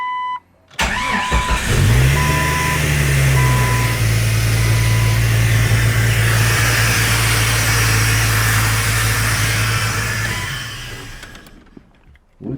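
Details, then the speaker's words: Jeep XJ first start after parts swap from totaled Jeep: cranks, catches and flares, then runs with a loud rushing hiss over idle, like the world's worst vacuum leak, seemingly near throttle body; later found the vacuum leak. "was that? What sounded like the world's worst vacuum leak?"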